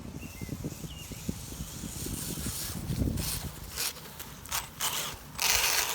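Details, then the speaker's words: Traxxas 1/16 Mini E-Revo VXL brushless RC truck, running at a park: electric whir with rough gritty grinding, loudest in reverse; owner suspects play in the transmission gears. "yeah, especially you can hear it when I go in reverse, which makes me think it's something with the transmission. You might be able to hear that grinding when I go in reverse, but yeah, it's you can really hear it there."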